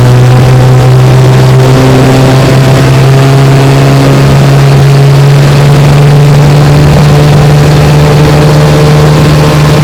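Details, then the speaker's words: 1968 Evinrude 9.5 HP two-stroke outboard, restore #88 with rebuilt carburetor, under load pushing a 14-foot john boat about 18 mph on a bayou. Loud, steady constant-pitch buzz, no misses or rattles; runs strongly. "She runs great. I mean, idle's perfect. Pushes my 14-foot John boat here about 18 miles an hour, which is awesome for a 9.5. I mean, she just flies."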